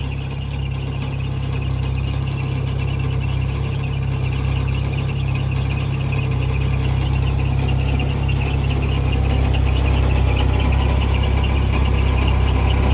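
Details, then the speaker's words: Jeep YJ Wrangler 2.5 with a hood stack, before an upgraded fuel injector install: a steady low idle runs a little, then goes super rich (owner believes) and stumbles, sometimes stalling; faint belt chirp from moisture. "so you're going to hear it run it runs a little bit and then it gets super rich i believe and you're going to hear it kind of stumble"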